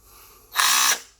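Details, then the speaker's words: Makita DF333DWYE cordless drill after motor upgrade from RS-550 to RS-555 and gearbox service, test run before closing housing: short even high-pitched whir, starts and stops cleanly, no grinding; runs healthy. "Oke, itu ya. Jadi sudah bagus."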